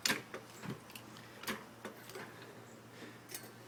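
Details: Infiniti G35 rear axle clicking: faint, sharp clicks at uneven gaps of a third to half a second over a low hum.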